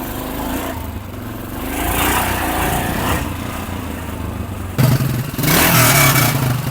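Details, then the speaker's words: Yamaha XT500 single with a new Mibu Tech 1976-replica exhaust: a deep thump that swells cleanly with throttle blips and has no tinny rattle. It is a healthy, normal exhaust note. "don't know if you see the smile on my face and I don't know if you can explain my wife that that sound is worth $3,100 it's amazing"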